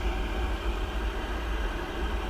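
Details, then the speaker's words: Pentair gas pool heater just lit after replacing a failed flue stack sensor: steady low burner roar with an even rumble and no sputter or cutout. Normal firing; owner watching whether it shuts off after a minute. "so right now it's just blowing cold air which you'll hear a kick in a second there it goes"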